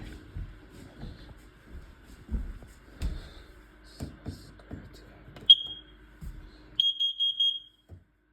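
Shrill high chirps around three kilohertz sound in bursts over faint room thumps; the smoke alarm is sounding normally during its test.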